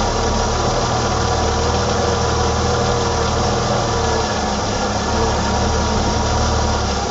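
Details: 1987 BMW E28 520i, M20 2.0-litre inline-six (129 PS), nearly 400,000 km, now running excellently; recorded on a phone with good low-frequency microphone; steady, even low hum with unbroken rhythm, no knocks or misses; normal idle.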